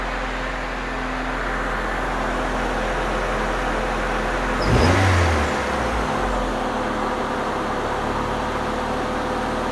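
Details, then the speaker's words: 1989 Honda Prelude after redoing a noisy valve and adjusting the squealing alternator belt: steady, even idle with one quick throttle blip, no tick, knock or belt squeal; normal idle. "but it starts up and runs sounds great now listen to this"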